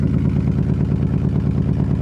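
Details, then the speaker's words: Wrecked 1990 Nissan 300ZX first run on rigged fuel supply, no mufflers: loud rapid even exhaust pulses at idle, no misses, light metallic rattle of unknown source, slight tick, smoke from one side. Exhaust rattle at idle. "some smoke coming out this side it sounds pretty consistent doesn't really sound like it's missing it's rattling a little bit"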